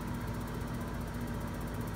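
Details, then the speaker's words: New Reznor UDAP45 heater with gas pressures, venting, igniter gap and ground confirmed in spec: exhaust blower hum, rapid spark ticks about ten per second, burner lights late this time but often fails. Delayed ignition from misaligned igniter rod position. "hear the Sparks down there it lit but typically it would it would not light all the time"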